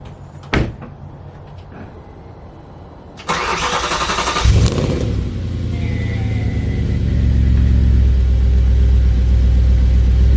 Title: No SAI Cold Start Outside Temp -4C - Cold - Freezing Whine Sound Solving PART 1